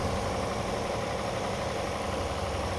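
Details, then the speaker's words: 2009 Hyundai Santa Fe, 250,000 miles, slow-cranking no-start, now jump-started from another car and starting right up; starter sounded good, battery suspected. Even, steady idle with no knocks or misses. Normal idle. "Okay. So, it starts right up. >> A bad battery. I think >> that's a good sign. The starter sounded pretty good."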